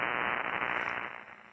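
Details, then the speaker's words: Suspected electrical line noise on a ham radio, present on all bands including AM and VHF, varying in strength: harsh crackling static that swells and fades. Power-line arcing is suspected, not confirmed. "all right I think that's electrical line noise it's on all bands it's on am it even gets up into VHF uh it's just that that really bad static"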